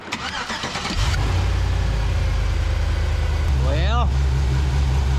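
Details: LS-swapped 1999 Chevrolet S-10 pickup after aftermarket AC install and belt realignment: engine catches within a second and settles to an even idle, one brief chirp, belt staying on the AC compressor so far.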